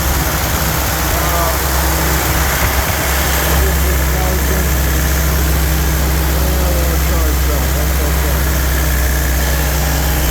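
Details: Rebuilt '48 Willys spare four-cylinder engine, choke set a little, pressure at 30, steady, even low idle with a smooth unbroken rumble, no knocks or misses or bad noises; normal idle.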